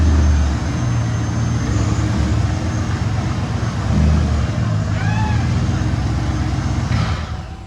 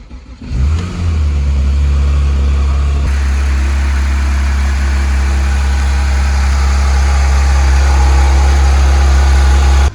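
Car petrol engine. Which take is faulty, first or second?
first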